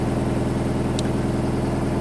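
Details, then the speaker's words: Nissan S13 CA18DET on new VW TSI ignition coils, cold engine: even, steady low idle with a smooth regular pulse and no misses; healthy cold idle after starting right away. "ok fired right away these coils were a very good idea fired worse on serial now on a cold engine right away"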